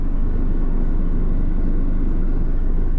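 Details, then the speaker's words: Nissan Versa, probably a 2014, 90,097 miles, while driving: deep steady rotating 'rot, rot' rumble about three pulses a second under the car; vibration of unknown source, unrelated to the overheating complaint. "It's got a pretty wicked vibration going on out there. You can hear that rot, rot,"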